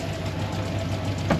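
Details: 2007 Chevy Tahoe 5.3L Vortec flex-fuel V8, 301,000 miles, cold idle with about 45–50 psi oil pressure: busy fast top-end ticking over gusty wind; lifter tick, suspected collapsed AFM lifters.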